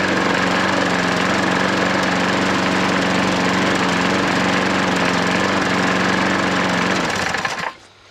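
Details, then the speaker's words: Hayter 43 lawnmower single-cylinder engine, freed from hydrolock, restarted without priming: runs steady and even at a fast, regular beat, then cuts off cleanly; sounds healthy. "Wow, what can you say? There's not a lot wrong with that, is there?"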